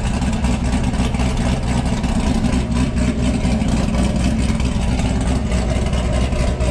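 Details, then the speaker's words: Cammed LS V8 started cold, surging on cold start pending a tune: choppy, loping idle with a steady uneven beat of roughly four pulses a second, normal for an aggressive aftermarket cam. "she did start definitely a little cold should I idle down here in a second I would like to get that NATO tune in a little bit for so it doesn't surge so much on cold surface there we go I can hear the Texas vvvt through camp"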